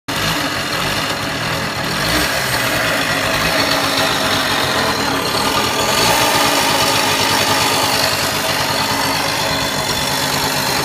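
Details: RV 50 engine running with a thin, tinny metallic clatter riding high over a weak low beat, like something loose and buzzing; strange tinny engine noise, cause unknown.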